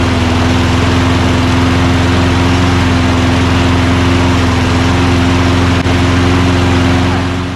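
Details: Toro Recycler mower with Quantum single-cylinder engine, started after priming during refurbishing: catches and holds a steady, even drone with no misses or surging; runs healthy.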